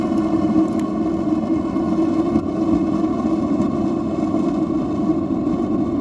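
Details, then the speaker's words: Atwood RV water heater LP burner with the adjustable air shutter opened too far: steady loud rushing roar with a low hum, no pulsing, too much primary air. Closing it down gives a quieter blue flame. "We don't want it to sound like a freight train, they say."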